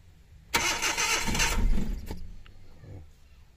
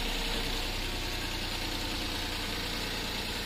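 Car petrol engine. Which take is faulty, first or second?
first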